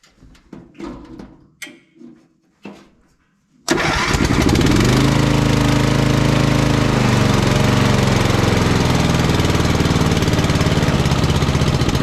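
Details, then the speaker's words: Vintage Simplicity 3110 Cavalier riding mower with an 11–12 hp Briggs & Stratton engine, whose choke isn't moving far enough: a few cranking bursts, then it catches and runs steadily with no misses or knocks, before the throttle cable adjustment. "doesn't seem to run too bad though"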